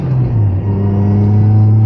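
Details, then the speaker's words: Mazda ND Miata manual transmission after installing a CAE Ultra short shifter: steady drone with a thin whine, loudest on throttle and supercharger-like; gearbox whine coming through, more noise deadening or another boot suggested. "It sounds like a supercharger. It's like whining."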